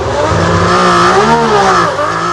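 A smooth, strong engine note at high revs, pitch swelling and easing with the throttle, no stumbles.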